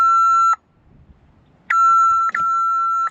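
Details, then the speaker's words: At the start of harvest, plugged in with power and corrosion found: two long, steady high beeps, clicking in the box, and no winch or drive movement while lights work. Warning beeps; cause not yet confirmed. "I get is a beeping. And no actual movement. Lights work. Everything works. No winch. And no drive. But I can hear it clicking in the box."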